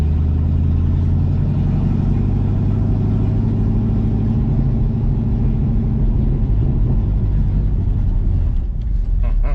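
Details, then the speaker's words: 1966 Ford Mustang test drive after clutch swap with exhaust refitted: deep, raw, unmuffled rumble stays loud and heavy throughout, like no mufflers fitted; loud exhaust, not how the car should sound. "it does not feel right driving it with this car sounding the way that it currently sounds that's not what this car should sound like"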